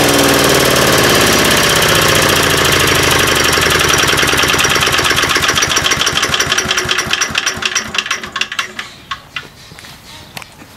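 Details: 3.5 HP Tecumseh single-cylinder engine after tuning the main jet screw, driving a wood chipper. It pulls hard and evenly through crackling wood chipping, then the firing slows and fades out. Normal running under load.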